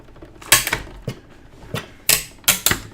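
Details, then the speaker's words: Die cutter cutting tags from paper; sharp crackling snaps in quick bursts over quiet gaps as the dies press through, normal die-cutting sound. "when you hear that crackling from your die cutter all you who are regular die cutters know that's a good sound that just means dyes doing what it's supposed to do even though it sounds terrible"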